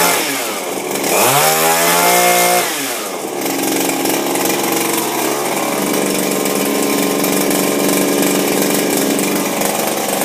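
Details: Refurbished Shindaiwa power broom two-stroke with new carburetor, gaskets and recoil, no air filter fitted: buzzy revs up, holds high, drops back, then steady even drone without sputtering; normal running.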